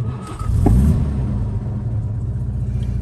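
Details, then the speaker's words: 1961 Jaguar Mark II 2.4 manual overdrive, warm after a good run: brief crank, catches within half a second and settles straight into a smooth, even idle; pressures and temperatures fine, a healthy warm start. "nicely warmed up at the minute we've just been out for a good run as you can see pressures and temperatures are fine"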